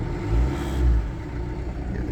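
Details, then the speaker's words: Car started using the smart key's transponder after a damaged key caused crank no-start and a system reset: steady low engine rumble with a mild swell in revs then settling even, no knocks or misses; normal idle. "ये देखिए तो ये start हो गई engine. RPM आप देख सकते हैं।"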